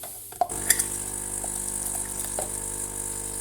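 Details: Saeco Incanto espresso machine after repair of a leak: after a few clicks the pump settles into a steady even hum with no trickling water, brewing normally.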